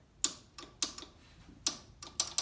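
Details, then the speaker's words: Nitrous plate system with purge: both nitrous solenoids, wired to a micro switch, give crisp paired clicks when switched, no buzzing or chatter; normal solenoid operation. "sounds like they both clicked there so that'll work there"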